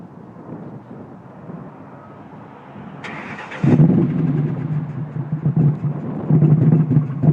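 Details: Ford Mustang engine cranks and catches, then settles into a choppy, uneven idle with irregular lumpy pulses; misfire that owner says sounds like cams, cause not found.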